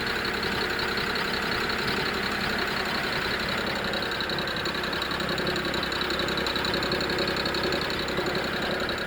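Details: BMW E92 330i N53B30 with sudden power loss at low rpm, no codes, injectors, coils and HPFP already replaced: light uneven metallic rattle over the idle; owner suspects DISA.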